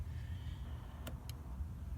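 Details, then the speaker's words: 1991 VW Vanagon 2.1 L water-cooled boxer at low steady idle: throttle body switch gives two crisp clicks about a quarter second apart as throttle opens to full, clicking cleanly after adjustment; normal throttle switch click. "the one click and then there's the other click then go back and click click again ok so I adjusted for that because sometimes I can get out of adjustment and it doesn't click right"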